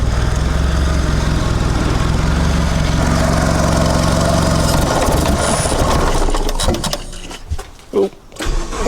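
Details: Mitsubishi Lancer CE two-door coupe, first start after reassembly and battery reconnection: uneven, lumpy idle with a wavering low beat that never settles, then dies away; seems rougher than before.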